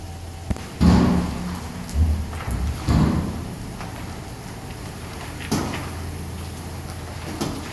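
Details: 2005 Jeep Grand Cherokee WK turning right: deep, irregular front-end clunks and thuds. They appeared after a road trip, following recent new struts, control arms, sway bar links and bushings, rack and pinion, and front diff bushing. Cause suspected, not confirmed.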